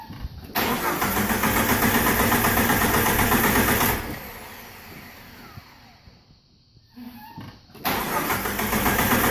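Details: TJ 4.0 no-start: the starter churns evenly at about four beats a second, pauses, then cranks again; the engine never catches, so it cranks but won't start.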